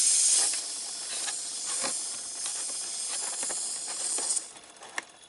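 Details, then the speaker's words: Big truck dashboard air cylinder, blue air line trimmed and pushed back into fitting: steady high-pitched hiss of escaping air, fading near the end; still leaking at push-in fitting. "as far as putting it on you just push it back in the hole push it in there tight apparently it's still gonna leak"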